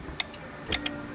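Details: Car with aftermarket alarm, reconnecting the cartridge-type fuse number 6: a few sharp, uneven ticks as power returns, like a relay chattering; the badly installed alarm is backfeeding the circuit and causing a battery drain.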